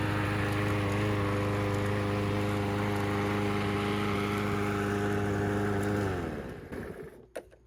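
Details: Troy-Bilt TB110 mower with Briggs & Stratton engine, after cleaning the dirty carburetor, run 20-30 minutes: even, steady engine note at constant speed with no surging or misfires, then a clean wind-down at shutoff; runs healthy.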